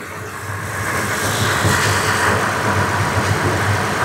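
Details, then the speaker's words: 2016 Toyota Tacoma after AC repair, idling with compressor engaged: steady even hum, no rattle, grind or squeal from clutch; compressor cycling fine, cold air, normal operation. "but the compressor is cycling just fine now. And we've got cold air. There's no noises from the compressor."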